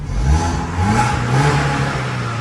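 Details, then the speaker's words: Tata CNG car that would not accelerate, after new spark plugs and with the customer's added fan wiring restored to original. The ECU had been swapped before. Warmed at idle for a while, it now pulls up cleanly with no misfire: normal revving. "อันนี้ผมติดเครื่องรันไว้และพักนึงแล้วนะอ่าติดเครื่องร้านรอบเดินเบาไว้อันนี้เร่งได้ปกติแล้วเนี่ยอ้ะ"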